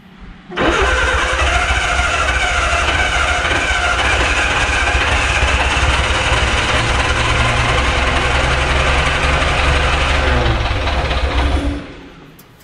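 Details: Barn-find Austin-Healey Sprite after long storage, carb float bowls filling and leaking from shrunken gaskets: catches after cranking, runs unevenly about ten seconds, stumbling and hunting before dying; rough running, old fuel pump later replaced.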